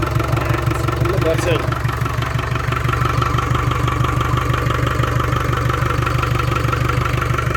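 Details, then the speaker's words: Land Rover Discovery 300Tdi diesel, first run after a donor engine swap with a mechanical injection pump, new timing belt, alternator, turbo and valve clearances set. Steady, even idle clatter with a low regular beat and no misses or knocks; the oil pressure light goes out. Healthy idle. "that sounds mint as well that sounds really good I'm happy to put that into cooler pipe back on now oh I'm really pleased with that that sounds good really really good I'm so pleased it's fired up"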